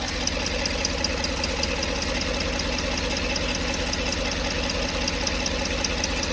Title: Odd tapping noise from the 5.3 #dadsgarage #automobile #mechanic #diy